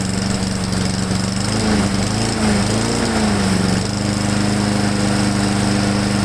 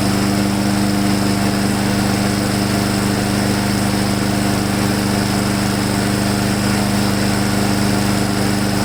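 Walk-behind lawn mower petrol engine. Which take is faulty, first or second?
first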